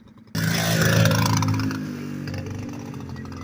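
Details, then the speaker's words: Kawasaki KLT160 revived after years not running, revving then bogging and stumbling under load while ridden, two-stroke-like popping. Suspected far too lean, needing a bigger main jet. "You can hear it's not running right. Yeah, it sounds like a two-stroke almost. I think it's just running way too lean."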